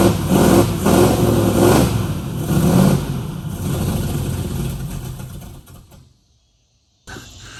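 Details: 1969 Mustang that sat 15 years, shaved heads, after new starter, carburetor, coil and distributor: engine cranks, catches and revs unevenly before dropping out; old distributor believed bad, timing and carburetor still being adjusted.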